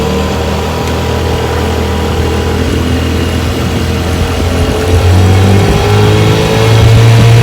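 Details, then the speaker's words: 1970 Johnson 6 HP outboard after magneto, coils, points, condensers, plug wires, carburetor cleaning and hub replacement, warm start, test run on the water: steady, even drone with a clean firing rhythm that picks up smoothly. Normal running. "Let's give her a test run, see how she goes. Starts right up. Reverse works."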